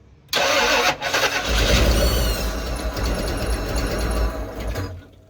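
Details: '95 Ford Bronco after engine swap and cam change, firing order switched and set to top dead center; steady churning crank for about five seconds with no catch, engine turns but won't fire.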